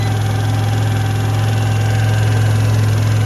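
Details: Piaggio ET4 scooter, carbureted and unused for years, started on a jump pack on the third attempt: a steady, even low idle with a smooth rumble and no knocks or misses. The engine runs fine.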